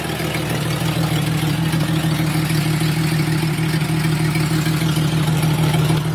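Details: 1996 Jeep Cherokee Sport 4.0 idling steadily with a loud, raw low rumble and rough puffing beat; exhaust leak at the Y-pipe, slight when bought and worsening over six months.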